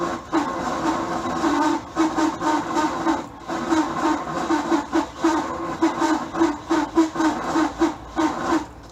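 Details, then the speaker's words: Bayliner boat engine cranked on a cold night during winterizing after fogging oil: rapid uneven grinding crank in short bursts about two a second, never catching; starter is shot and needed replacing. "Hey, welcome back to Cheapskate Garage, where this winterizing the boat went into changing a starter on the boat because it's shot."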